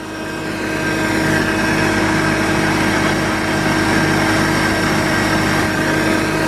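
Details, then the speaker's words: Jeep Cherokee Pioneer, unregistered since 1993, first run in about 20 years, hot-wired with no key, now idling on its own power: steady idle with a loud constant droning whine over the engine from the power steering pump. "One hell of a power steering noise."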